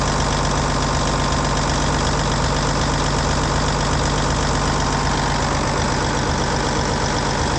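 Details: Cummins N14 heavy diesel idling after a cam job (new cam bearings, cam followers, valve train adjusted, valve covers back on): steady, even clatter at about four beats a second, no ticking, knock or miss. Normal idle.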